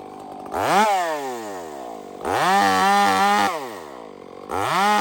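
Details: Stock chainsaw with aftermarket muffler fitted, under cutting load; revs up in repeated bursts but burbles and breaks up instead of holding a clean scream at the top; running rich.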